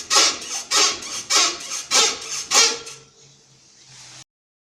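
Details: Toyota Mark II JZX110 rear floating bushing: rhythmic high squeak, about five strokes under a second apart, as the rear is rocked; dry bushing, silicone grease helps until rain, fix by replacing hub carrier or bushing (non-original or Supra original via spacers).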